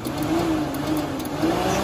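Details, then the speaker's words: Mk1 VW Cabriolet coolant fan switch test after it ran hot with no fan: jumping the switch's two end terminals runs the fan at high speed with an even, steady whir and no wobble or rubbing. "jumps so when i jump to two ends you heard the fan turn on and it was running at a higher high speed"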